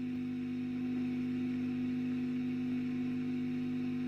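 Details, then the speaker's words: 1965 Wem Custom 15 valve amp after the tube sockets were cleaned. A constant low-mid hum at one pitch; residual noise, source not yet traced. "But yeah, there's something. It's drawing 260 milliamp on the bulbs. Take it off the bulbs for a minute. Now you can hear it more."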